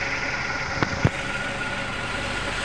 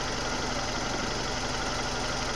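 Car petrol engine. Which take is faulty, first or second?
second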